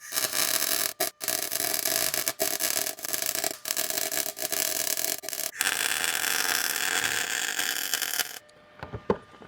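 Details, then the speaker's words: 1937 Lincoln Zephyr underside being MIG welded overhead with the welder set very hot: loud, steady crackling hiss in bursts with brief pauses as rust and iron oxide burn off. "So mainly what you're hearing is some rust burning off. I got this welder set pretty darn hot, so it's actually just burning through whatever oxide is still there."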